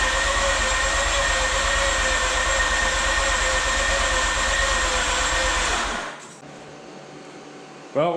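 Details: Mazda RX-8 rotary after engine rebuild, cranking with plugs back in after deflood procedure, fuel smelled, plugs suspected flooded: steady even fast cranking chug about six seconds with no firing; cranks but will not start.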